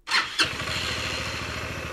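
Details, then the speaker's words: Chinese quad's single-cylinder engine restarting after a failed head gasket (coolant in oil) repair, gasket faces cleaned, all torqued and timing reset: a couple of cranking bursts, then it catches and settles into a steady, even idle; normal start. "et le moteur a redémarré voilà c'est la fin de cette vidéo"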